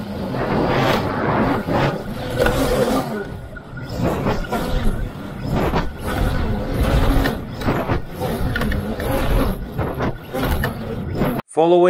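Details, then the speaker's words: Knocking from a HEQ Swan K1 Pro VTOL flying wing during a range test: after brief heavy vibration it reverts to hover, then irregular knocks over rough rotor roar as the left motor module apparently tears off, swings around, breaks its prop and bangs the airframe. "then it reverts back to hover at which point you can hear a knocking sound as if something is banging into something else which i assume was at that point the motor coming off and starting to swing around breaking the prop"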